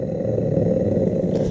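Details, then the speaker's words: Dishwasher motor that had been stuck: spinning the shaft by hand gives a rough, gravelly growl from the worn bottom bearing, a sealed or pressed-shield type, a bad bearing. "So that's a bad bearing right there. That guy right there is bad."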